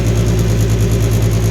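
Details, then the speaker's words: 2002 Reznor unit heater with code 2 pressure switch failure, inducer motor on first start after freeing it: low hum with a fast rhythmic throb, about ten per second, noisy and vibrating; pointing to an off-center fan wheel and tight motor bearings. "It's not as cool as I'd like it to be, but thing took right off the start of run. A little bit noisy."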